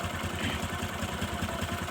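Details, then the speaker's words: Honda Supra 125 carburetor model, rough noise when engine hot, oil leaking at valve cover: steady low idle with coarse rattly clatter each stroke; loose balancer bearing and worn, scored piston, camshaft and timing chain also suspected. "ini menandakan adalah getaran pada bandul ya yaitu posisi laker yang oblak sehingga putaran bandul itu tidak stabil goyang Ya goyang sehingga menimbulkan suara geledek gledek gledek"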